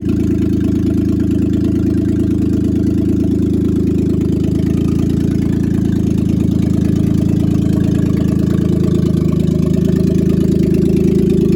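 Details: Pontiac G8 at idle, just running again: a loud heavy drone with a fast, even pulsing underneath and no clear knock. The loud engine noise is of unknown cause, with a fix still planned.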